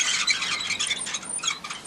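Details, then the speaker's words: 84-year-old farm dump trailer (1936 Chevy parts), wheel bearings never serviced in 60+ years: high, scratchy squealing pulses in quick rhythm while rolling from dry wheel bearings, to be cleaned and repacked. "my wheel bearings are pretty dry in there"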